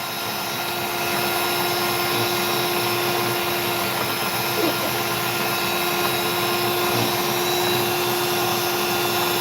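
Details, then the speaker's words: Machine cutting opal runs smooth and even with a constant mid-pitched hum, and no rattle or knock: normal running. "Now listen for the hear the not rattling that's going on there. Amazing."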